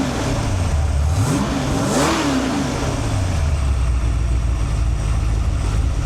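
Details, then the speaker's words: Freshly built 408 stroker (1979 Ford 351W block, 4" forged crank, AFR 185 heads, hydraulic roller cam, Quick Fuel 750 carb, primaries rejetted 72 to 75) on run stand: clean even rev rise and fall back to smooth idle, no stumble; normal free revving. "All right, let me give it some wraps before I turn the fan on. You can hear it a little bit better."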